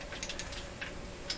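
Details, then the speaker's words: Bang & Olufsen Beocord 2000 De Luxe tape recorder: sharp uneven clicks over a low hum when engaging, a small relay chattering with blue sparks at its contacts, causing the buzzing sound; cause unknown. "this is a little relay and this relay is chattering and that's what's causing that sound when i try to engage it"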